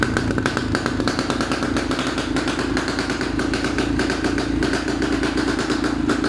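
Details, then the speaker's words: A Racer motorcycle brought in for hesitation and black sooty smoke misfires at idle. An uneven, stumbling idle with irregular popping and clatter. The spark plug's center electrode is worn away; the plug is replaced, then the cap, ignition coil and HT lead are checked, revealing a further problem. "собственно говоря вот такая проблема центральный электрод здесь просто суженым его уже нет видите совсем"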